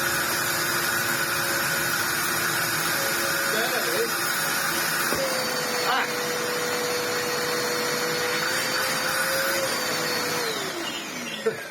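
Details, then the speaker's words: Ewbank Motion EW3001 cheap corded bagless upright vacuum, bin cleaned but hose still clogged: steady high motor whine then sagging spin-down, barely any airflow; weak suction from clogged hose. "Still barely. No, the hose is still very clogged."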